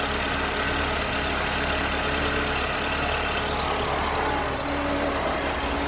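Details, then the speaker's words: Mercedes SLK R170 2.3 litre compressor, after spark plug change following long storage: steady, even idle with smooth low hum, no misses, knocks or stumbles; firing cleanly on all cylinders. "I'm just going to start it up, make sure it runs okay. Hopefully it won't fall over."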